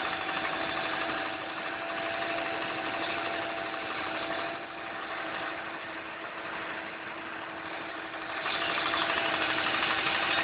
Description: Ticking Noise from Engine. Sounds like its the injectors